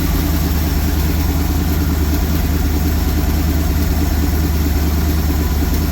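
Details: 1974 Lund Tempest II GT fiberglass jet boat V8, just bought and a little finicky to start (the first attempt failed). Deep, steady burble with an even beat and no knocks or misses; a healthy idle just after starting.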